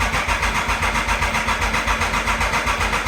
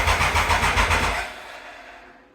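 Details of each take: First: 1996 Triumph Thunderbird, bought as a non-runner, after sprag clutch repair, with choke on: steady, even cranking at about four turns a second, no clanking as heard before; normal starter cranking, may not yet have fuel. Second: 1996 Triumph Thunderbird after the sprag clutch repair: about five quick starter chugs a second, then it dies without catching. It cranks but won't start; the owner suspects fuel isn't reaching the carb and switches between reserve and main.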